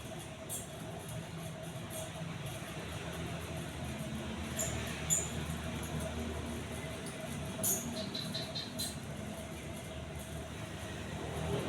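Quiet, even hum with no wobble, rattle or ticking as it spins; the fan motor sounds smooth and healthy.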